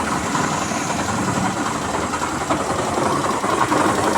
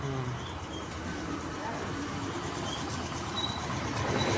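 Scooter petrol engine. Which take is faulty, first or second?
first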